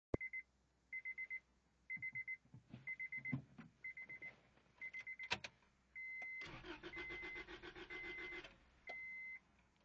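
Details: Acura Integra: repeated chime beeps, then about two seconds of even starter cranking that never catches. Engine turns over but won't start, cause unknown.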